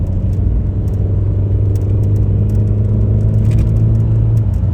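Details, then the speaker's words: VW Beetle, 01M automatic, after replacing the faulty TCU: pulling away from a stop in D with the AC off, the drone rises and drops smoothly through 2nd, 3rd and 4th without flare or slip. Normal automatic gear shifts. "I'm going to turn this air off so you guys can hear the shifting."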